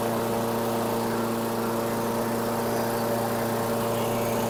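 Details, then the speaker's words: 2008 Weedeater 22-inch 500 series mower, engine model 10T502, after non-start repair work: steady, even single-cylinder drone, strong tone, no misses or surging; RPMs a little high, possibly left high for heavy cutting; throttle cable and a possibly bent screw to check. "okay it's um running the RPMs are a little high but I may send it out like this since it appears he's hacking and slashing some big stuff I may leave the RPMs a little higher"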